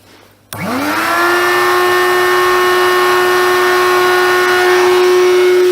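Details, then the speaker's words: Hoover Convertible/Dial-A-Matic U1124A upright vacuum, first run with bag out, expected to run badly from being dry; fast spin-up to thin, high, hollow airy whine, tone changed, old filter medium debris blowing out. Airflow blockage. "now you probably have noticed the change in toad and I'd notice that as well and I do know why although that's moved actually it's his whites clocked"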